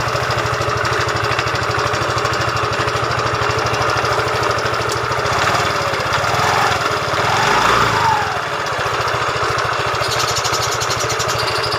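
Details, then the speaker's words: Yamaha Fino 125cc fuel-injected scooter idling before repair: steady idle with a rough, gravelly undertone and an occasional loose clatter. Engine sounds very rough yet runs without power loss. "Ya itu ya, suaranya lumayan atau kadang ada klotek-kloteknya juga."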